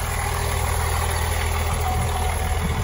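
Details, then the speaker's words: 2004 Blue Bird SC2000 bus, six-cylinder diesel, just started after sitting a long time, cold: deep steady clatter with an even rhythm, good oil pressure and charge voltage, slight smoke; normal idle. "I love the sound of a six-cylinder diesel. It just makes all the right noises."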